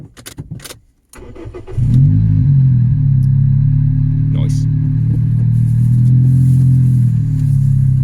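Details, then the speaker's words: Toyota Yaris starting to idle, heard from underneath: cranks and catches into loud deep droning idle with puffing rasp; exhaust blowing where the rusted centre pipe separated from the centre box. "so now that we've got the car up in the air we can clearly see that the center pipe has come away from the center box of the exhaust this is a very common problem on old cars"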